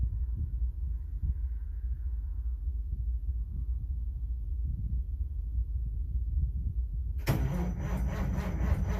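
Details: Caterpillar 3406B diesel, cold: slow, steady cranking rumble that never catches or picks up speed. Cold crank, no start.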